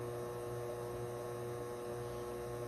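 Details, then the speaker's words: 12V 1200W Magnum Energy MagnaSine inverter charger on four LiFePO4 cells (14V, 75Ah), washing machine spinning and pushing more water at 1.2 kW: steady, unchanging low buzzy hum with the inverter maxed at its output limit. "oh there you go it's pushing more water Here We Go 1.2 kilowatts it max out the inverter"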